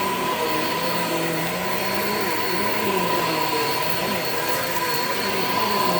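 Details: Shark Infinity Pet Care vacuum vacuuming a living room: motor whine with a wavering, unsteady low drone as the brush roll drags and slips; very old worn-out drive belt, brush roll stopped many times, needs replacing.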